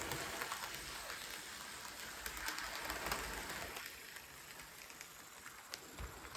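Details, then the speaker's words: Budget SD40-2 model locomotive after a cheap one-dollar motor upgrade, at higher speed: even quick patter of wheels over rail joints, no grinding or labouring, much quieter and smoother than before. "that was kind of unfair try to get it to slow down on a Bend but you get the idea much quieter much smoother"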